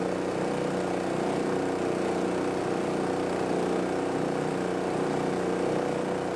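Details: Roadside-free old gas-powered air compressor, single-cylinder engine, running after the valve cover was refitted and the air filter cleaned and reinstalled. It holds a steady, even speed with no misses, hunting or rattles; it runs healthy.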